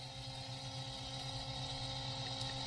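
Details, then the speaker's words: DC gear motor on Arduino PWM via L298N at high speed: quiet steady hum with faint even whine, no knocking or grinding; L298N chip not hot, very little power flowing; running smoothly. "this is not hot at all I I can keep my finger so that means that there is very little power flowing through this chip"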